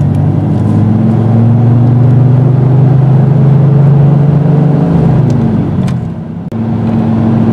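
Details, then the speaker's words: 1996 Dodge Dakota 3.9L V6 cruising with no load at 32°F outside air, water temp about 199: a steady deep roar that holds when the fan should be off; aftermarket fan clutch stuck locked, not cycling. "this is just me driving normal no load 32 degrees this fan should be off right now"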